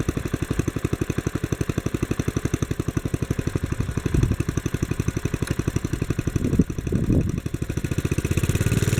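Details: 1957 Bolens garden tractor (Type 21HD01), sitting for years; after cleaning points and carburetor, replacing fuel tank, and adjusting main jet: slow, even single-cylinder putt-putt, about two beats a second, no misses; normal running.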